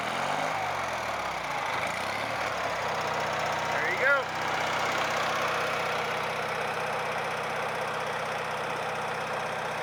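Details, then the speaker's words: Onan 4.0 generator after repair, now running off its own gas tank: steady, even drone with constant low hum, no misses or knocks. Normal running. "okay and it's running on its own power guys well stir it up for you it's running off it's its own gas tank now"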